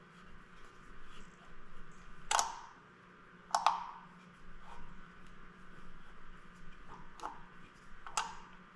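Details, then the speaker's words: Used three-cylinder snowmobile engine with fresh pistons, turned over by hand: sharp, irregular metallic clicks about once a second from cylinder three, where the power valve strikes the piston. "alright so i'm not sure if you heard that or not but there's a clicking noise that's coming from this cylinder so this would be cylinder number three on this engine"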